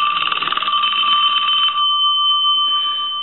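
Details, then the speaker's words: Western Electric Princess telephone at initial checkout, bell believed knocked out of adjustment by someone; fast, even bright double-tone ring with no rattle or buzz, bell ringing cleanly. "so what we're going to do now is I'm going to go ahead and ring the telephone I'm going to give you a couple of different angles of that"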